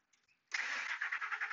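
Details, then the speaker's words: 2003 Ford F150 Harley-Davidson 5.4L supercharged with engine computer (PCM) heated by heat gun to about 120 degrees: brief crank, fires at once and settles to an even run; normal quick start during long-crank PCM testing. "but look it's a starting very normal"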